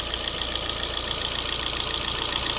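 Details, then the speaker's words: 2012 Fiat 500, smoking but running, lifters quieting as it warms, valve cover off: fast, light, even ticking over a smooth idle with no knock underneath; ordinary valvetrain noise. "And it really doesn't sound any worse than they normally do. It's just they normally have a cover."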